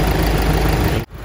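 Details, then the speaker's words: Mighty EX8 truck diesel engine after SCV valve replacement and many attempted fixes: heavy, deep running with clearly audible hard, low knock underneath; connecting rod knock, engine to be torn down. "và các bạn có thể nghe thấy cái tiếng gõ của động cơ rất là rõ ha à"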